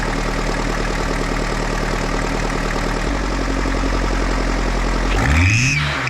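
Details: Turbo engine, microphone on top of the turbo, revved hard into boost: a whistle climbs sharply with the revs, with backfire pops in front and a smell. Owner suspects a boost leak near the turbo.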